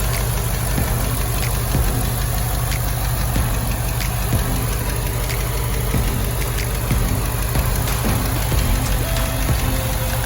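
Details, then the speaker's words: 2006 Impala SS V8 starting straight up after valve cover gasket replacement; deep steady idle, only faint light ticking over the rumble, no stumbling, running evenly. "Let me get y'all start it up for you. See if it starts. I might need to boost it off. It might start. Yep, and she started straight up."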